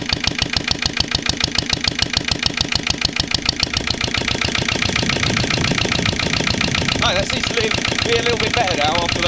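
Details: Lister LD1 single-cylinder diesel on a chilly 5–6° morning after a fuel filter change: slow thumping about two beats a second, slightly uneven but steadier after heavy loads, no longer stalling. Still rough; owner suspects the injection system.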